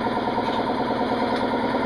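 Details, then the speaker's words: Air compressor running in very cold weather while changing a Dodge Ram tire: slow, heavy, strained chugging rhythm; compressor laboring, and the owner suspects water in the line. "I don't know if I got water in the line somewhere but just you can hear the air compressor laboring everything is struggling"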